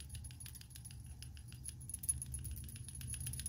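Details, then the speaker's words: Hyundai Veloster PCV valve, removed and cleaned with brake cleaner amid P2191/P0420 lean codes: shaken by hand, a light quick loose rattle; plunger now moves freely, as a clean PCV valve should. "this is what it sounds like after cleaning"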